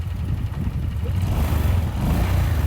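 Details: Honda Vario scooter: deep lumpy uneven idle, rough engine with smoke from exhaust; reused worn head gasket blew, letting radiator coolant into the combustion chamber and mixing with oil.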